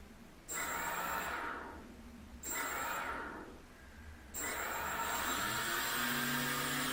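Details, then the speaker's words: SunnySky Angel A2215 800 kV brushless motor after refitting magnets loosened in a multicopter crash, tested without propeller: three smooth, even throttle-burst whines with no grinding or rattle; normal run. "então você vem com motor tá girando lá normalmente tal ele tá sem a hélice agora então não dá para a gente ver"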